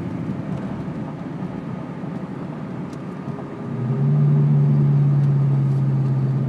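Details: 2002 Ford Mustang GT V8 idling: fast even puffing tick riding the rumble, then low drone as revs rise; an exhaust leak.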